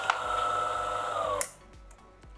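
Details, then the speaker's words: DeLonghi PrimaDonna Elite Experience coffee machine after repair, first start: steady high pump hum with sharp solenoid valve clicks, then soft ticking as it heats; normal, healthy start-up. "solenoid valves are firing , you can hear the heating ."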